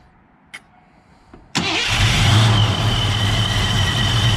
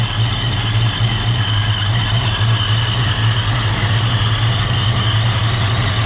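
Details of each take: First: 1987 Ford Mustang LX 5.0 V8 automatic with Vortech A-Trim supercharger, converted back to speed density, first start: a couple of quiet clicks then catches at once and settles to steady, even idle; normal engine start. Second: 1987 Ford Mustang LX 5.0 V8 automatic, Vortech A-Trim supercharged, converted to speed density: loud, low, lumpy idle that hunts and never settles; owner hears a vacuum leak, suspects a missing supercharger part and says it needs an idle set; rough idle.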